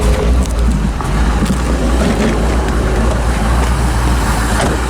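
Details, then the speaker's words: 1985 C4 Corvette after fixing a poorly connected negative battery cable that caused a no-start with no power: steady, deep, even idle with no misses, knocks or surges; battery charging, oil pressure and rpm good. "and as you can hear running battery's charging oil pressure is good rpms are good unbelievable"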